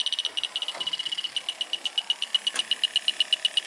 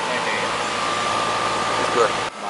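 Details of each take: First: Air conditioning unit found at 0 psi and pressurized with nitrogen: an electronic sniffer ticks steadily, then races into a fast high chirping alarm at the service port. A refrigerant leak is detected at the Schrader core, to be replaced. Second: Air conditioning unit found at 0 psi, refrigerant leak fixed, recharged and superheat reset: steady even fan air rush with faint constant hum, no rattles or squeals; running and cooling normally.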